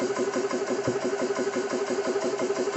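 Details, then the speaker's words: Xisico CS3 4500 PSI 12/110V portable compressor, first startup after oil fill, bleed valve open running unloaded, shutoff set at 4500 PSI, rated about 75 dB: even pumping about three per second, steady hum, no knocks; normal unloaded running. "We are set at 4,500 PSI for our shutoff. And I will turn it on. So compressor's running."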